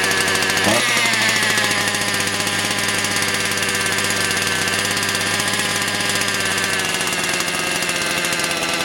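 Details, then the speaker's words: Motor Sich 270 chainsaw with new ignition coil, still cold (cylinder about 40-50°C), idle adjusted down: high buzzy two-stroke idle after a quick blip, settling to an even rattle without misses; idling fine. "друзі пила холодна холостий дід скинув вже починає грітися пекти мене потрохи але ще не пити градусів 40-50 циліндр"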